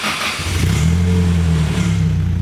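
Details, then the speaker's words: Nissan Silvia SR20DE turbo on first start after a new clutch and a reinstalled transmission with Redline fluid: catches and revs cleanly, then holds steady with no knocks, clunks or grinding; the clutch engages smoothly. "Sounds good. No weird noises coming yet."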